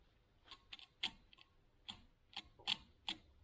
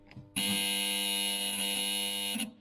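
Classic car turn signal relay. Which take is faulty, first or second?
second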